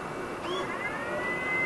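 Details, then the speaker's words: Flashforge Adventurer 5M Pro 3D printer switching on its external circulation system: short whirring sweep rising in pitch then steady soft whine, apparently a small servo opening a rear valve to vent outside air; normal vent fan and servo. "it sounds like it's got a little Servo in the back that opens up a valve and then lets it vent to the outside air"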